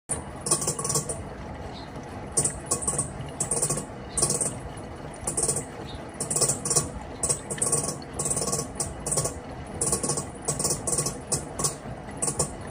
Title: Panasonic washing machine abnormal sound inside.